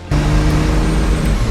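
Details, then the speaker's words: 2nd gen Cummins diesel truck under throttle, heavy roar holding at high revs without building, pitch flat; transmission slipping. Automatic transmission slipping. "Oh man! And you can tell the trans is slipping. Yeah, the trans is still going down some heat."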